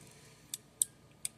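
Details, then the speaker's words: Four crisp, sharp clicks from the microswitch tabs of a 1UP desktop Pac-Man arcade joystick, each snapping cleanly with nothing missing or mushy; faulty joysticks had a tab that would not click. Normal joystick microswitch clicks. "you can hear them clicking and actually all the tabs clicked on that one"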